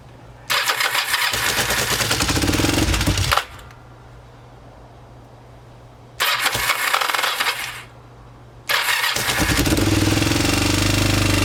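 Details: Kawasaki Ninja 500 in cold weather after oil change, earlier idled around 4000 rpm with choke off before idle was lowered: repeated few-second cranking bursts, catching only briefly; hard starting.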